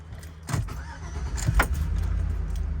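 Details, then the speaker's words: 2004 GMC Yukon XL SLT, 5.3L V8, cab start: keys rattle, brief crank, settles into steady even low idle, no knocks; runs and sounds good, though oil pressure gauge reads wrong, sending unit suspected. "runs good, it sounds good."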